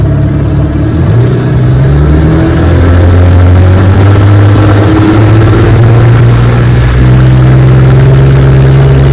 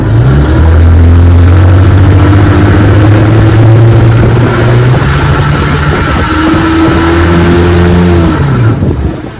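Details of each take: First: Restored 1961 Evinrude 18 HP two-stroke outboard, test run on the bayou after the slipped prop got new rubber hubs, on a 14 ft Feathercraft doing 22 mph, chilly day: a strong, steady high-rev drone, pitch even with slight swells, no misses or knocking; normal running. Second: 1961 Evinrude 18 hp outboard on a bayou test run: revs climb high and hold without labouring, then sag and pick up again, worsening; slipping propeller hub.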